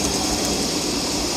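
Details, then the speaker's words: Custom Oliver 50 gravity table for hemp heart processing, speed turned down to 30, not bolted down: steady hissy rumble with even deck shaking and no knocks or scrapes; normal smooth running. "we can slow it down even the deck shaking there everything hums along there are no irregular"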